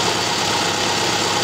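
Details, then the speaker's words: 2010 Subaru Impreza, 150k miles, rebuilt engine with new head gaskets, cylinder one misfire code: steady fast clicking heard with screwdriver tip on the injector at idle; injector working normally, not the misfire cause. "and i can clearly hear clicking noise let me bring you in hopefully you can get this okay right on the injector now in my case the injector is working perfectly fine we do not have an issue regarding that"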